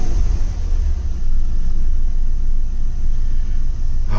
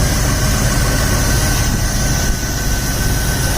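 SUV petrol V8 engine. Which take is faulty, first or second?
first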